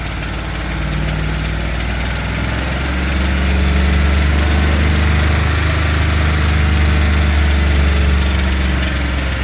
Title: 2022 f250 7.3 bad lifters? ticking/knocking 25000miles